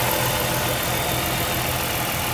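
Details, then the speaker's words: 2006 Chrysler 300 Touring, 3.5 L V6, 71K miles, hood open: smooth, even idle with steady low hum, no ticks, knocks or misses; normal clean idle. "all right cut 3.5 liter v6 Idols nice and smooth"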